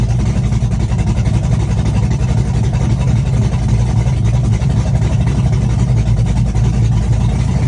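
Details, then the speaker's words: Chevrolet S-10 with a cam on open headers, cold start with Holley red electric fuel pump: loud, choppy, rowdy V8 idle, steady lope about four beats a second; cam exhaust lift 480/488, advertised duration about 297; normal lumpy cam idle. "And she sounds pretty rowdy. And the exhaust lift of this cam's a 480, 488."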